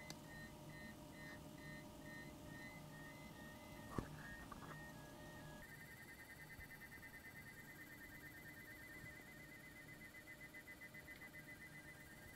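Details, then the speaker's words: Server fans (pump detected, no fan tach signal) emit a thin wavering electronic whistle near 2 kHz over a faint hum; PWM fan coil whine, attributed to PWM control, stops being adjustable. "something is wrong with those fans they're making extremely weird noises the pump is detected but there is no fan signal from the fans the noise is definitely due to the pwm control"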